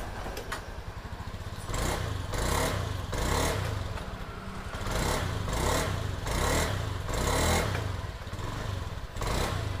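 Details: Honda Scoopy single-cylinder scooter after replacing the faulty ignition coil that caused hesitation on initial throttle; revs cleanly in repeated quick throttle snaps and returns to steady idle with no sputter, fixed.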